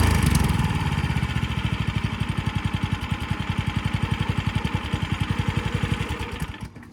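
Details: Tiller single-cylinder engine started on choke right after its carburetor was replaced: a quick, even firing beat that settles and holds steady; running clean.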